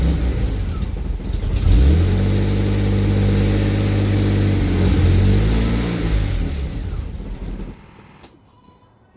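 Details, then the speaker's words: AJ30 Jaguar / Ford Duratec V6 in a Gilburn Invader on ME360 ECU, started after setting both cams to advance the same: catches, revs unevenly and hunts, then dies; persistent stalling, owner thinks worse when cold, cause unknown. "it did stall. Now, I do still have a persistent problem of stalling. It's worse when it's cold, but um this is a detail, but um is it worse?"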